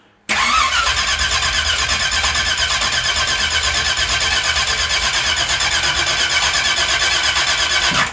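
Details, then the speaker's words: V8 truck on a cheap knock-off carburetor: fires straight away but runs busy and uneven with about one stumble a second, quite lean; carb judged to need a different squirter and possibly jets, fan not triggering at about 200. "I mean it runs, just doesn't run very good. And it is quite lean. You could see how lean it was. She's lean farting. She's stumbling."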